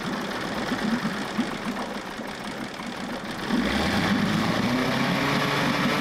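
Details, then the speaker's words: 1994 Johnson 6hp outboard, bought at auction: ragged uneven popping on a straight fuel hookup with choke, then it catches and settles into a buzzy, fairly regular but weak beat; top cylinder compression reads about 60–67, mediocre. "So we've got spark, we've got a very mediocre compression. We can see if that comes up a little bit if we get it running."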